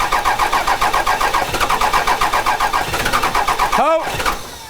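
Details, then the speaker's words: 1998-2002 Dodge Cummins right after a new VP44 injection pump install, during fuel bleeding: steady starter cranking near four beats a second, engine catching briefly but not starting; air is still trapped and processing through the fuel system. "we got a little bit of air trapped still, so we're gonna go back to 3 here. When a truck's trying to start like that, it's still processing air through."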